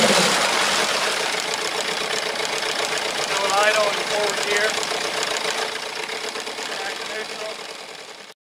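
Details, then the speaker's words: Evinrude Yachtwin 8 hp twin two-stroke outboard after cleaning a carburetor gummed by old fuel: a steady, even putter at idle in forward and reverse without stalling or hunting; the idle problem is fixed. "we then mounted the carburetor back on the engine and did a full cycle of a forward reverse gear is at full idle and everything works fine so that was the fix"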